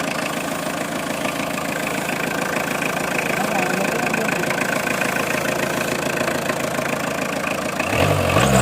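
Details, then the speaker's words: 2002/2003 Tata Indica diesel, cold started after sitting about a year: rough loud idle clatter with thin steady whine riding over it; alternator bearing needs replacing. "Alternator bearing വെക്കണം."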